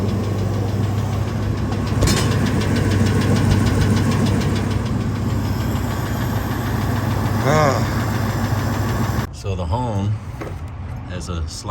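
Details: 1999 Ford F-250 V10 after fixing leaking spark plugs, before oil pan removal and bearing replacement: steady idle with a light, uneven tick about three per second that comes and goes; engine ticking, source not pinned down.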